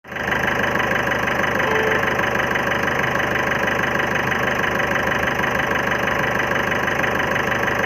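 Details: 2011 Ford Figo diesel idling with a steady knock about three per second and uneven stumbling beat; suspected misfiring cylinder, injector service considered, not confirmed.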